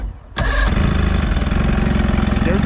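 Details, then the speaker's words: Outboard motor on a bass boat, lower unit repair, running without water hose on starting spray; cranks then catches into a quick lumpy pulsing run, bottom cylinders apparently not firing; running on two of four cylinders. "i'll try one more thing see if the bottom cylinders kick on with some spray"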